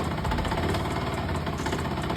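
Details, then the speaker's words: Benelli 180S single-cylinder motorcycle idling with a loud, rough, rattly knock through the thumping exhaust beat, coming from the lower left side of the engine near the starter bendix. Knocking noise at idle, cause not yet confirmed. "Ya la moto prende, pero tiene un sonido, ¿no?"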